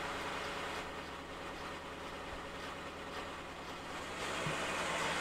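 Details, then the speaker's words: BMW at idle during a laptop injector test deliberately inducing misfire on each cylinder: lumpy, uneven beat of about four pulses a second, car rocking; owner reports intermittent misfires with the engine light. "it's a juicy mix fire now and each of the cylinders that's why the camera shaking as the cars rocking side to side"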